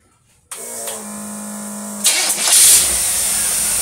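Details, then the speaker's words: Engine tested with freshly cleaned Carter AFB master carburetor from a 2x4 409 setup, glass bead removed: short starter whine, then V8 fires and settles to a steady, even idle, no stumble or misfire. "to that thing purr. Amazing."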